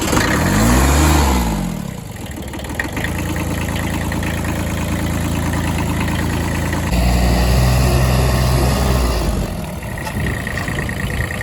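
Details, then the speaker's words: 1980 Kubota B7100HST tractor with 0.8L 3-cylinder diesel idling: thin, steady high squeal that comes and goes, only with clutch engaged; clutch-area bearing found completely dry and never greased. "See, they greased these here. They never greased this. So, where is your grease gun? I It's in the car then. I'm going to Yeah, that bearing's completely dry."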